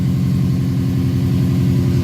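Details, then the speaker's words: Idle of the "Golden Toaster" project car's engine after a repair of a stripped exhaust-manifold stud hole in the block. Steady, even low idle with a smooth pulse and no ticking or puffing. Seems to sound better; normal idle. Black soot next week would indicate a leak. "Sounds better, I think."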